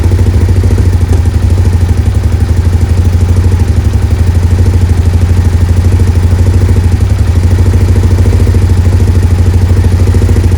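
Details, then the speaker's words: Suzuki SV650S V-twin, cylinder one vacuum gauge connected during carb sync, old hose removed: even loping idle, about three beats a second, no hunting; throttle response now spot on, owner unsure whether old hose was leaking. "right what's interesting is ass soon as I've connected this vacuum line in and removed the old piece of holes that was in there throttle response is spot on now"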